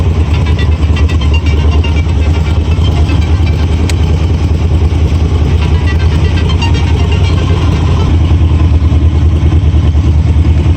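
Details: 1978 Cobra Jet jet boat, 350 Ingram V8 (325 hp) with Berkeley jet, just started, reverse engaged: loud deep steady burble, even firing, no knocks or misses; normal idle.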